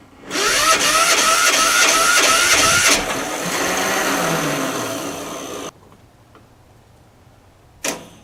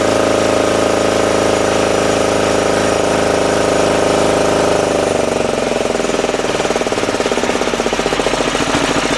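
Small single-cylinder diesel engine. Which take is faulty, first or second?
first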